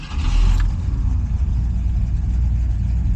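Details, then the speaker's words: 1969 Ford Fairlane, mild 302 V8 with C4 automatic, in park, after fixing a large taped-over carburetor vacuum port leak: fires right up into a smooth, even rumble with no stumbling or whistle; sounds much better than before, normal idle. "Fired right up. Sounding good. Let's see what happens. Sounds much better than it did before."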